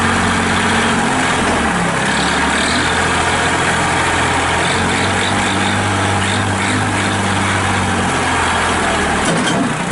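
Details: 1997 Massey Ferguson 240 4x4 diesel tractor with loader, 1881 original hours, 2-stage clutch, 8 forward/2 reverse speeds, started to run through gears: steady deep diesel chug, even rhythm, no knocks, misses or rattles. Normal idle.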